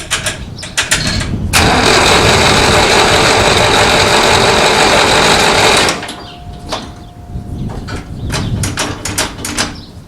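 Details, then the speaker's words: 1960s Massey Ferguson 165 tractor cranked with the choke on: the starter spins about four beats a second for four seconds with no firing; spark is confirmed, but only a little gas comes from the carburetor, and the bowl is suspected of not filling. "I put a spark tester on a plug wire and cranked it, and we've got spark. So only a little bit of gas comes out of the carburetor, which is a problem."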